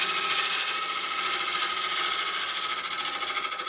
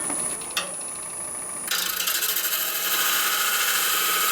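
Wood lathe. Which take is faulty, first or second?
first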